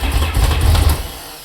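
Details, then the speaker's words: RXT engine on its first start attempt after a rebuild, on a jump pack with the fuel pump running: a low, fast cranking churn with a few uneven catches that almost fire, then die away. It won't quite start. "Oo, so close. Come on, baby. Almost. Little bit more."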